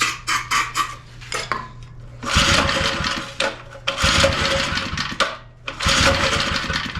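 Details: Small edger engine, which wouldn't run right, after backing out the fuel mixture screw, now idling low via the drive control switch. Low, even putter holding steady between a few louder bursts. Normal idle.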